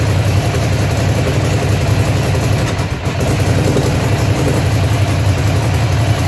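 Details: Ducati Monster (696/795/796/1100) V-twin idling with an uneven, lumpy beat and an occasional dropped pulse; misfire at idle.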